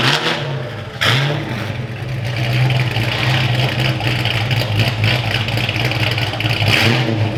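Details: Foxbody Mustang V8 after engine work was wrapped up: deep even rumble, revs up cleanly and settles back, no top-end ticking or clatter; owner says that's how it's supposed to sound. Normal idle.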